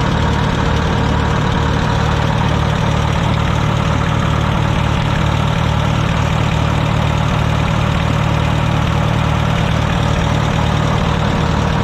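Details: Wisconsin VH4D air-cooled four-cylinder on Bandit model 65 wood chipper, repaired after abandonment: loud steady low drone with even pulse, no knocks or misfires, running unloaded; starts great and runs smoothly.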